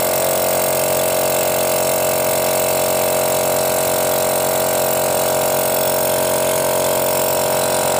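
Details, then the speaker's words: Used air compressor check: with the intake filter opening covered by hand, suction feels strong; steady, even pumping drone with firm hiss and hard tone, no knocks or rattles, indicating performance is still good. "ketika lubang filternya ini saya tutup jadi terasa di tangan kita itu sedotannya kuat Nah itu tandanya performanya masih bagus"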